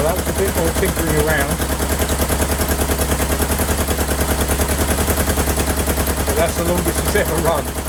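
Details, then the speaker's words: 1977 Kawasaki KZ650 B1 four-cylinder running without its airbox, carbs not yet synced. Lumpy, uneven popping exhaust of about three beats a second instead of a smooth hum; the owner suspects a dead cylinder, as one pipe is warm and another cold, and plans to sync the carbs. "hopefully get these carbs synced but it sounds like a cylinder isn't firing yes this this pipe is warm this pipe is cold"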